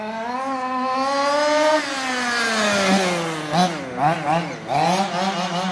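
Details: Fifth-scale RC car two-stroke engine after carburettor tuning. Before tuning it was leaning out and drying out. Now a crisp buzzing climbs and falls cleanly on quick blips with sharp throttle response. Healthy, properly tuned engine.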